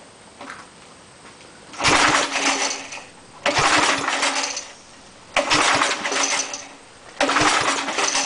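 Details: Small engine on an air compressor after head cleaning, valve seat work and an oil change, choke on, gas added: catches in short sputtering bursts every ~2 s and dies. Carburetor/governor problem suspected.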